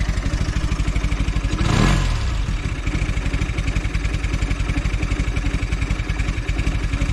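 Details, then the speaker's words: Velocette LE idling at about 700 rpm after clutch and points adjustment: a slow, even putter, one brief throttle blip, then a steady regular beat, smoother than its earlier occasional miss or tick; a healthy idle. "Seems a lot better. It sounds like it's running smoother at idle as well."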